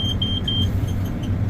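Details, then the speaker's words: Combine started at idle with door open: quick run of about six sharp high beeps over low rumble, cleaning fan speed increase/decrease fault warning; cleaning fan speed can't be adjusted. "cleaning fan speed increase or decrease problem so we can't adjust our cleaning fan speed"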